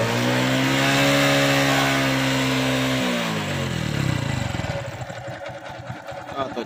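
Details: Honda Wave 110i single-cylinder after valve clearance adjustment, restarted to check for oil leaks: small brief rev, then settles to steady even idle with no top-end ticking; normal healthy idle.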